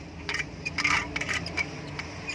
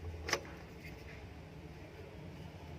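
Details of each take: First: Indo-brand 230 V 50 Hz ceiling fan with an odd, fairly loud noise: irregular light metallic ticks and scraping over a faint hum from a dry, jammed fan bearing, before repair. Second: Indo 230 V 50 Hz ceiling fan, after fixing its noise without changing bearings, runs with a low steady hum, no grinding, rattle or squeal: normal quiet running.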